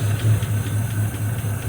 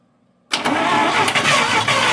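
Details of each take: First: 1953 Buick Special first start since 1992 after 20-plus years in storage, run on outside throttle: low, steady, even idle with no knocks or ticks; engine sounds healthy and smooth. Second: 1953 Buick Special first start since 1992 after 30 years' storage, points and cleaned rotor: cranks, catches with a few ragged firings that rise briefly, then sags and fades; gets ignition but not fuel, won't keep running.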